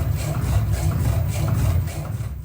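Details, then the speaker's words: Lamborghini Huracán BWI MagneRide damper on a dyno test before repair: dull thumps about three times a second with each stroke, knocking from gas-oil mixing as the worn O-ring lets nitrogen into the oil; the graph distorts at higher speeds. "You can also hear it knocking. This is due to two main reasons. First is gas-oil mixing."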